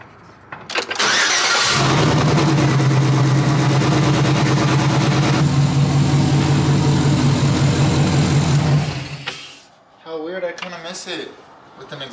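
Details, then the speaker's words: V8 truck after repair of exhaust manifold leak (new gaskets): cranks, catches quickly and settles into an even, steady idle with no ticking or puffing from the exhaust manifolds. "doesn't sound like my truck no more you guys like the truck with no exhaust sleeve because i don't i miss it it doesn't sound right now for sure"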